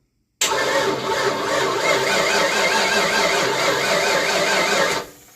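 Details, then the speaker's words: 1988 Ford Mustang GT, sitting since 1999, MSD ignition powered but not sparking the coil, distributor possibly disconnected; steady fast starter churning about four and a half seconds with no firing: cranks, no spark. "Still not sparking. We've suddenly run into a problem of the MSD not sparking."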